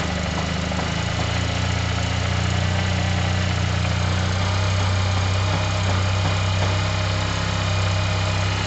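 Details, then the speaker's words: Yamaha TMAX 500 just refitted with its twin carburettors, cold start with the choke on and idle not yet set: fast, even, smooth drone with no misfire or knock; runs healthy. "that already sounds happier to me guys remember the choke will be on i need to give that a minute or two the choke is currently on"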